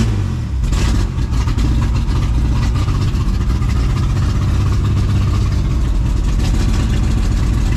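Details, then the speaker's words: Ford Explorer (2000 or 1995) after long storage, started after oil priming: a lumpy, uneven low idle that keeps sagging and nearly stalls; it runs very poorly. "well it's technically running it's running very poorly seem to want to idle come on now"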